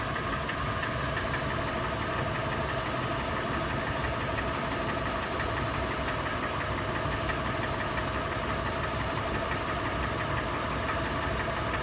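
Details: Toyota FJ, warm start, idling in park or neutral: sharp, loud metallic tapping/knocking that replaced the initial clattering. It slows under load in drive and is worse decelerating below 1800 rpm, with a marble-like rattle.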